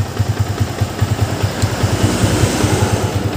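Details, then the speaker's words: Yamaha Vixion new model after engine block replacement and reassembly, owner had complained of rough, noisy engine and block leak: even thumping idle about two beats a second, no cam or timing-chain ticking or knocking; normal idle. "kalian bisa dengar skelp aman sentrik ataupun keteng aman ini sudah menurut saya sudah sangat luar biasa"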